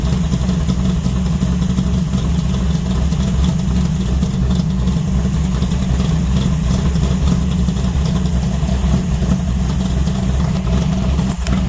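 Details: 1970 Charger 640hp Mopar stroker V8 revived after sitting, transmission separated, warming to 190° at 75 lb oil pressure: loud, lumpy, slightly uneven idle; owner suspects timing needs work or new gas.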